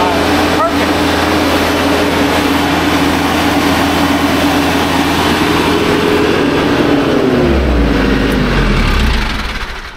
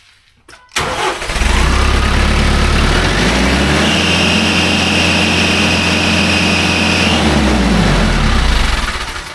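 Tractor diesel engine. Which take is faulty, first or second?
second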